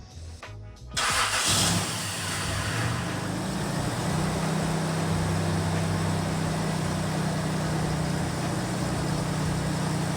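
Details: Toyota 90-series Prado 5VZ turbo V6 with Haltech gear, just rebuilt overnight after a bottom-end noise revealed two bent conrods: short crank, catches cleanly, blips, then settles to an even idle with no knock or tick. Healthy.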